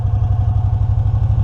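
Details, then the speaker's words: 2006 EZ-GO ST 4x4 with a 614cc Honda GX610 V-twin and under 600 hours: crisp, regular twin-cylinder pulses at a steady warm idle with no misses. It runs and idles great. "Actually, as you can tell, it runs great, idles great."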